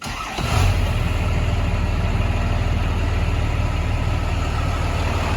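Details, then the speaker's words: 1996 Chevrolet Suburban with Cummins diesel swap, cold start after wait-to-start light and relay clicks: brief crank, catches almost at once and settles into an even, steady idle with no misses; slight haze of smoke, normal. "Since it is cold, it will smoke just a little bit of haze."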